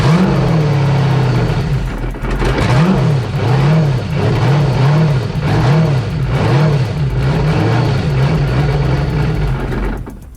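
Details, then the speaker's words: 6.0 LS V8 in Yamaha FZR jetski, running on hose, new idle air control valve fitted replacing seized one: loud idle hunting up and down about every half second, surging unevenly; rough running, more problems remain, cause not yet found. "i can assure you that there are more problems than just that check out how it runs with just the new idle control valve installed"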